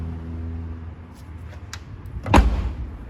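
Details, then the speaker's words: Hyundai HB20 rear door with intact rubber bumper on the latch, engine idling: shuts with one dull soft thud, no rattle or latch clack; reference for a normal door close. "a porta de trás perfeita tá vendo a borrachinha Ó você bate ó você não escuta o barulho que a borrachinha tá perfeito"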